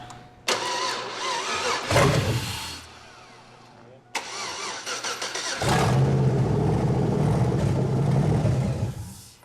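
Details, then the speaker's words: '98 Chevy Blazer 4x4 with swapped used LS1 engine and new custom exhaust, first start: engine fires and idles briefly for about 3 seconds then dies; anti-theft system cutting it because PCM not yet programmed. "Sounds good. But for only about 3 seconds. You know what that is, don't you? Anti-theft."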